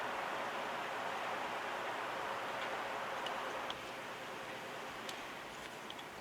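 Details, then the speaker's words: 1960s GE 20-inch two-speed reversible window fan after cleaning and oiling, motor not yet blown out: smooth airy rush fading as blades coast down, few faint ticks, no grinding; runs faster with better spin-down, normal. "It seems like it's running pretty nicely now. It's running a lot faster, it has a better spin down time."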